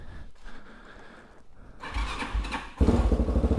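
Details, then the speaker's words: TBR7 single-cylinder motorcycle with aftermarket cam, cold start with choke plunger on: quiet cranking, then catches into quick, even thump with raised rpm that falls off as it warms; normal cold start. "Now it's normal when you do a cold start, it'll raise the RPMs and they'll start falling off with the choke on. So that's completely normal."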